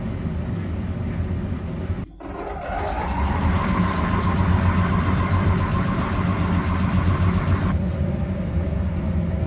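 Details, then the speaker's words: Electrolux PerfectCare 800 EW8H458BP tumble dryer, 6 years old, after drum roller replacement: brief dropout then steady even hum with fan tone; earlier drum knocking and uneven running gone, runs quiet and smooth. "suszarka wstawiona chodzi pięknie cichutko równiutko"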